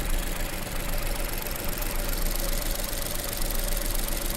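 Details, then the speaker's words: 2017 Ford Escape, about 70,000 miles, spark plugs recently replaced, low power: uneven, lumpy idle with a loping beat; cylinder two dead. "that's a bummer I'm sure number two is doing all kinds of funky stuff that sucks yeah yeah number two is just it's just dead it's just dead"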